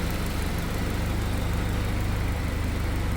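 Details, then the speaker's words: 1948 Willys CJ2A four-cylinder, first run after a frame swap to a used Willys M38 frame and a new carburetor-to-air-horn rubber piece: even low chugging idle at a steady pace with no knocks or misses; runs smoothly, like a sewing machine. "Well, she's running. Sounds like a sewing machine."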